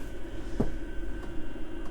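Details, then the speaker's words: Cheap Chinese diesel heater in camper van, cabin settled around 17 degrees: low quiet hum with soft tick about every 0.6 seconds from the fuel pump, the only noisy part; normal running. "hardly making any noise the only thing that's making noise is the fuel pump i'll just give it ticking"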